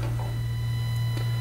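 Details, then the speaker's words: Roland 760 audio outputs into a USB sound card feeding the PC: a constant low mains hum with a thin high whine on top. USB ground loop, removed by fitting a HifimeDIY USB isolator. "you can hear that ground Loop noise I'm going to unplug the sound card plug it in here and then plug the sound card back in and you can see that it's working and that noise is gone now"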